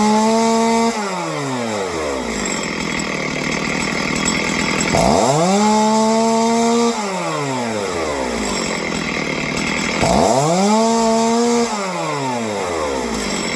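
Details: Stihl two-stroke chainsaw, previously not idling on the low end, after carb tuning: settles to a steady idle, then revs cleanly up and back down several times; throttle response healthy.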